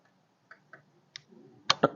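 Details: Honda PCX keyless system with a non-working remote, triggered by probing wires with a homemade DC test pen; a few sharp separate clicks ending in two firmer clacks as the solenoid pulls in. Keyless solenoid click.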